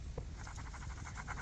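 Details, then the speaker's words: 2012 Toyota Hiace van, wheel hub turned by hand during teardown: a gritty, rapid coarse scratching pulse that should be smooth, from a bad wheel bearing. "hear that coarseness. That coarseness should be smooth. So, you shouldn't shouldn't even hear that sound."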